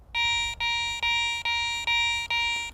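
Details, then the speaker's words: Garrett ACE 400i metal detector, 10 kHz, jewelry mode with some iron discriminated, bench test over a bottle cap before iron audio is on: six clean, even high beeps; sounds like a good target. "Still sounds like a pretty good target, but let's check it for iron grunts by putting our iron audio on and go back over it again."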